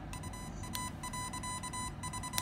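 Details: RC ESC fitted with a spark suppressor (47 ohm 2 W resistor), touched and then plugged in: one faint click, then clear high beeps with no loud snap, powering up normally.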